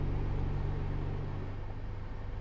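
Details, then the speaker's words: 2010 Nissan Pathfinder A/C heater blower stuck on one speed: the fan keeps humming at a fixed speed, doesn't change with the dial and won't switch off; a failed fan speed resistor under the passenger footwell is blamed. "if i turn the dial as you can tell it doesn't get any quicker if i turn it the other way to turn it off"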